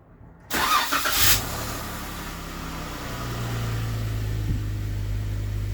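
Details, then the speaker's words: 2016 Jeep Wrangler JK 3.6L Pentastar with Baxter oil filter adapter, normal start after oil change and oil priming: quick crank catches at once into smooth steady idle, no rattle; no dry start, no check engine light. "All right, so we actually did not get dry start after priming it like that, which is good."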